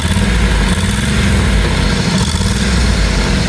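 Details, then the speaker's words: 1989 Bentley Mulsanne S, 6.7-litre fuel-injected, warmed up: loud, rough puffing idle with an uneven drone and raspy edge; exhaust blow suspected, puffing felt and wetness seen in one area, source not yet found; louder when pulling away. "With the bonnet shut, you can just about hear the exhaust blow, but obviously when you put your foot down and pull away, you can hear it quite loud."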